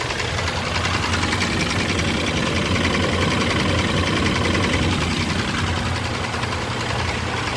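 A petrol V6 idles with a steady, deep knock running through it, pointing to rod knock. Cause suspected, not confirmed.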